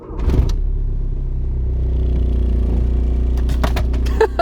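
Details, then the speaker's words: VW Golf TDI diesel at idle right after start, solid engine mounts replacing worn OEM ones: heavy even low drone and strong body shake, bottle fell over; much more vibration transmitted. "The bottle already fell off, so I guess that's our test. Yeah, there's definitely a lot more vibrations."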